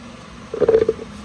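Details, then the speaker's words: 1927 Ford roadster with 2.3L turbo, torque converter reinstalled after input shaft seal replaced with Nissan throw-out bearing hub: short rough grinding as the converter's rear teeth engage, showing it is fully bottomed on the pump. "And we know it's bottomed out because you can hear it grinding. That's the teeth on the back of the torque converter."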